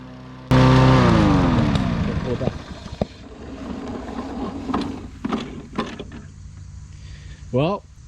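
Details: Free dump-picked self-propelled overhead-valve walk-behind mower, previously not running after sitting outside, started after carburetor cleaning and reinstall, fresh oil and gas: fires on first pull, steady even beat that fades as it runs on; normal running.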